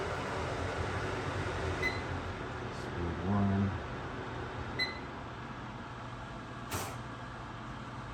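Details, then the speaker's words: Unbranded over-the-range microwave, model UMV1170LW00, with its vent fan on high and ducted to a newly installed soffit vent: a steady airy rush with a sharp tick every few seconds from the noisy outside louver, expected to quiet as it settles. "the only thing that uh louver up there is a little noisy right now i'll probably get quiet once it settles in"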